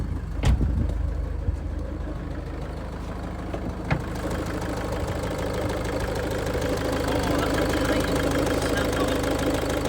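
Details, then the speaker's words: High-mileage Range Rover Evoque diesel at idle: steady tick-over with low whirring rotating drone; owner suspects auxiliary belt area, tensioner seen not moving, alternator belt perished; rotating noise at idle. "the noise that I'm talking about other than tires that we haven't replaced yet is that rotating noise you hear that noise"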